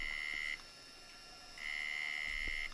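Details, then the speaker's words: 30-year-old Quantum IDE hard drive at power-up: two long, steady high-pitched buzzes about a second each instead of a normal spin-up, and it is not auto-detected. Abnormal startup buzzing; the drive fails. "definitely not your normal initialization sound that you would expect from a hard drive"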